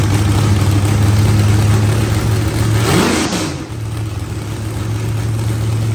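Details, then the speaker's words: Mopar LA 360 small block V8 with 727 transmission in methanol-burning AMC Gremlin burnout car: engine note sags and dies, then slow labouring turnover that won't catch cleanly; hard restart, plugs look evenly gray, no obvious misfire, cause unclear. "yeah we have been thrashing on this thing to get it done oh my gosh laughs I ripped hands off already yeah this one's fun she must get it up yes we did here's having trouble getting it to start back up again"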